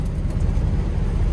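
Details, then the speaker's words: 1974 or 1975 International 150 pickup V8 driving through snow: deep, even low rumble with no ticking, knocking or misses; driving great with good oil pressure and the alternator charging. "oh yeah this thing's driving great got good oil pressure"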